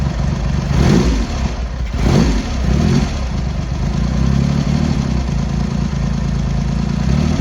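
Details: Triumph X75 Hurricane with freshly rebuilt carbs, cold on half choke: throttle blips, then lumpy, uneven idle with a cylinder dropping in and out; pilot screws thought set 7/8 out, carbs suspected to need tuning.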